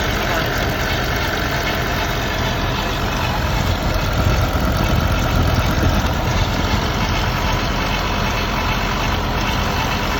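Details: BMW S85 V10 idling during VANOS testing: a faint, thin whine rides above the dense engine rumble.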